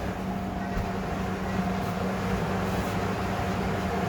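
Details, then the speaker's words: Fisher and Paykel clothes dryer from the dump, first run after main motor capacitor replacement: steady low hum, even tone, no squeal or chirp from idlers; runs cleanly, normal. "It sounds good."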